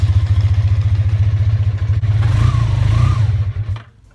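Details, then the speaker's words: 1988 Honda Super Magna VF750, just revived, carburetors not yet cleaned: slow, loping idle at about three thumps a second, a brief rev, then the beat fades and it dies; it won't idle below 1500 rpm. Dirty carbs suspected, not confirmed. "as you can see it can't go rude below 1500 rpm without dying"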